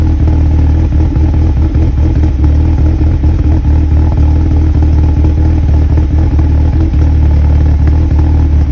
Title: 01 NB MX5 Cold start rough idle, idle droop was stalling at times while driving coming to a stop